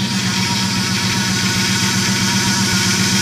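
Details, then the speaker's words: Dodge Ram 1500 just after a power steering pump replacement, which had followed a snapped pump shaft, bled by turning the wheel lock to lock at idle: steady pump whine as air still works out of the line; fluid needs topping up. "okay back the other way to FP line a bit got a bit air in it"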